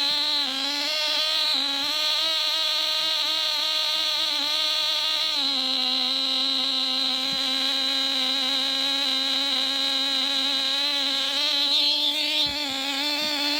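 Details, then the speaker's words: Nitro glow engine swapped into a Losi Mini-B RC buggy, mounted on its side, first run after priming and glow igniter, before break-in heat cycles: high steady whine, even pitch, no stumbles or sag; running smoothly. "well that sounds fantastic cool i'm gonna go through a couple of uh heat you know heat cycles break in"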